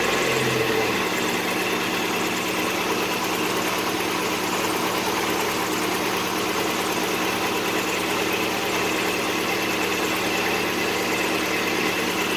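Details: Mazda Miata (1.6 or 1.8L) after valve cover gasket replacement: catches quickly, steady even idle with no knock, miss or ticking; no fresh leaks, running healthy.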